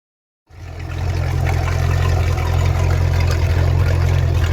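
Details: Mercruiser Alpha One Gen II sterndrive on a test run after impeller replacement: steady, even low hum with no knocks, rattles or misses; the engine runs smoothly, normal.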